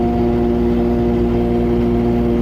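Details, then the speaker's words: Overland truck cruising at constant speed on the highway with an unrepaired exhaust leak; steady drone with strong low-mid buzz and raspy edge; exhaust leak. "so now with my exhaust leak that i'm sure you can hear i'm cruising down to colorado springs the next biggest city i can find"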